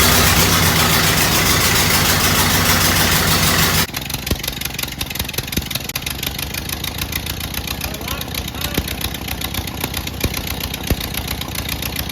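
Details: 1928 Ford Model A 201 cid flathead inline-four, first run after 17-18 years stored, choke on, timing locked slightly advanced: loud start, then steady idle with regular light ticks about four per second, no misses; sounds healthy.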